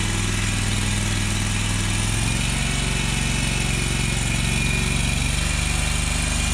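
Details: Exmark Lazer Z zero-turn mower, Kohler Command Pro CH740 V-twin, after gasket replacement for an oil leak: settles into a steady, even beat after starting, no knocks or rattles; sounds healthy, normal running.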